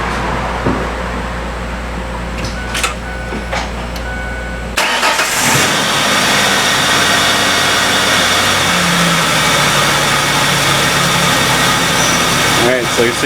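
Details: 2002 Ford Ranger 4.0L V6 after alternator replacement: cranks, catches quickly, settles to smooth even idle with no misses or knocks, charging at 14 volts; normal idle.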